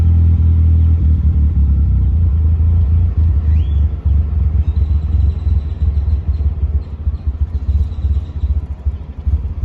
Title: Bad idle/misfire